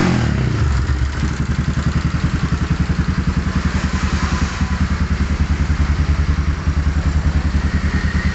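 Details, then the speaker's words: Modified Yamaha Scorpio motorcycle that kept dying, new spark plug fitted after the old one was black: single-cylinder idle with a sharp tick-tick clatter about three per second, wavering unevenly; mechanic suspects a cylinder-wall leak and combustion problems burning oil. "ini menurut saya adalah komplikasi di pembakaran di di ruang silinder sehingga terlihat dari mesin hidupnya pun ngeletek tek tek tek tek tek itu teman-teman ya"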